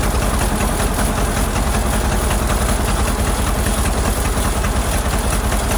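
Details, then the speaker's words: Ford Model AA doodlebug (cut-down farm truck), old four-cylinder, running after a new carburetor was fitted: rough, lumpy idle with an uneven, stumbling beat. Shorting plugs with a screwdriver shows cylinders 3 and 4 at the back not firing well; owner earlier suspected a stuck-open valve. "well as I suspected there's something going on with a couple of cylinders I used a screw screw driver to short out the plugs best I could it looks like something on the back end back here on number three and number four aren't working too good"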